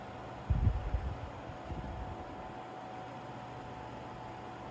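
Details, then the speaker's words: Seabreeze Cool Sweep 10-inch table fan, 120VAC 60Hz, new old stock, oscillating louvres running: quiet, steady low hum with a faint bump near the start, a little shaking within acceptable range; normal running. "pretty smooth a little bit of shaking but i'd say it's within the acceptable range"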